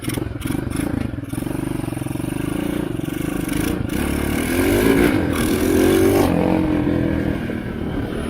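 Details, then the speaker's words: Chinese ATV abandoned for 7 years, first start after reassembly, possibly on choke: rough single-cylinder running and revving with sharp irregular pops about every second; backfiring badly, cause not found. "Backfires like crazy."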